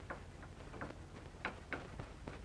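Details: BMW E46 front lower control arm being pried against the subframe: short creaky squeaks from play in a worn bushing, believed source of squeak when turning right; fixed by replacing the control arms with OEM parts.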